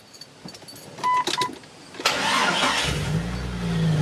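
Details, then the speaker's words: Jeep Cherokee XJ 4.0, after cutting out rattling tailpipe section behind the Cherry Bomb muffler: chimes, crank, then smooth deep idle with slight 4.0 chatter, no rattle; healthy exhaust note. "much deeper so yeah sounds good I need to get some thicker oil in this thing you can kinda hear the 4.0 chatter it's not bad"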